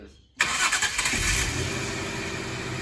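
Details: 1999/2000 Jaguar S-Type sports manual with five-speed Getrag gearbox catches immediately after a short crank, flares briefly, then settles into a smooth steady idle; clean first start after new dual-mass flywheel, clutch and fuel pump.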